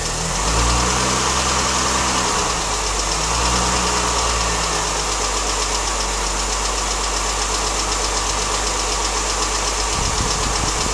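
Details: Mini Cooper S at idle with a light, quick ticking or tappety noise, about four per second, seemingly from the timing chain area. It is audible only with the engine running, from inside the car with the window open. Source unknown.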